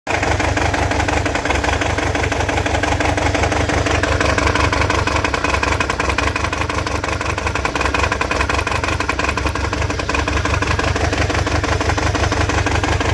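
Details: Toyota 22RE-T engine idling with an uneven, loping beat and a stumble about three times a second instead of a smooth hum, suggesting one cylinder misfiring; cause not confirmed.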